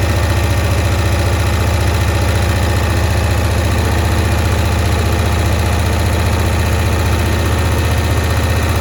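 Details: 1965 Cushman Truckster, sitting one year, just started on choke: low, slightly uneven pulsing idle near 220 beats a minute with a carburetor sucking noise while mixture screws are adjusted; owner suspects a stuck float.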